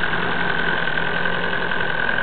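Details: Diesel engine, cold, just after a fuel filter change: starts well, then a steady high-pitched whine over the idle with light clatter, no leak. Idle won't hold and won't rise past 1200 rpm; the fuel pump is suspected, not confirmed.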